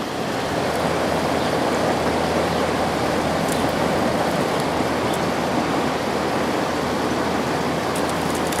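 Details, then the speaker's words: 2003 GE 12,400 BTU Samsung-made air conditioner after cleaning, compressor just started with temperature set all the way down: steady airflow rush over a low, smooth hum, already cooling, no knocking; the compressor runs normally. "I already feel it getting cold, so that's a good sign. It seems to run nice and smooth."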